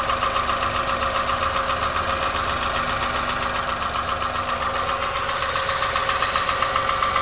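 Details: 2001 Honda Insight at 67k with valves already adjusted, making a steady light tapping of two to three per second over a smooth idle; it has not worsened and disappears while driving, and the cause is not found.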